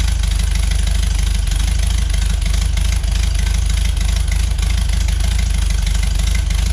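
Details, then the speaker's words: 1973 VW Beetle flat-four, new remanufactured Bosch 034 distributor, warming up on choke, timing about 8 degrees: deep steady chug with even pulses, no knocks, misses or rattles; normal idle. "Let it warm up a bit, come off the choke. Right now it's sitting about 8 degrees, so it's good enough to idle anyways."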